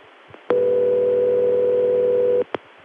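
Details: Murray Ring ringback from Denver's 757 step-by-step office. A steady, buzzy ring burst of about two seconds with a coarse, reedy edge, resembling a crossbar 5 ring but clearly different. The ring machine was possibly modified or defective.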